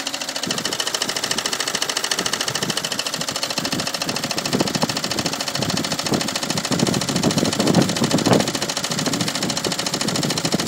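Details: Peugeot 306 HDi diesel engine running with a fast, steady metallic rattle over its clatter; cause not identified.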